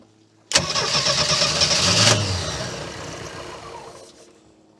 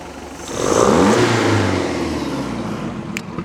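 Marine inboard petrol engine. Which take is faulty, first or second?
first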